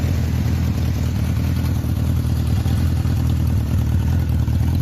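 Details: 1976 Honda CB750K SOHC four-cylinder, about 2,365 original miles: deep, steady burble with an even beat and no misses or knocks; idles clean and healthy.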